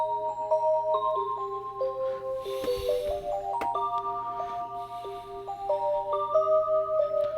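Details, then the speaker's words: Corroded chiming clock after repair, speaker reconnected, volume halfway, run past the hour: clear bell-like tune plays all its notes evenly without stalling; hourly chime works normally. "it's a pretty fancy clock um I hope I don't get H with uh copyright on this one"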